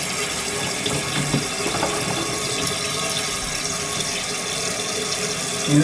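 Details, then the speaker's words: Large-flush toilet that previously would not stop running, after the shut-off was serviced. A steady rush of water fills the tank with no hissing or sputtering, easing toward shut-off, with no leak: normal refill and shut-off. "wants to be like 3/4 of an inch down and I'm fine with it right where it is she shutting off she's not leaking she's good right there"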